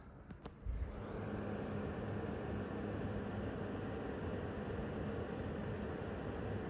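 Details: MSI Gaming X Trio RTX 5090 running a benchmark, fans at about 50% (around 1,750 rpm): a steady, even airy whoosh with no ticking, rattle or coil whine; fan noise sounds normal.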